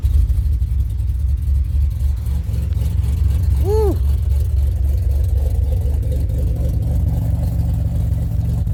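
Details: 2007 Pontiac Grand Prix restarted after ICM and harness replacement: deep, even rumble holding steady at idle apart from one short chirp, no stumbling or misfire; runs much better than before.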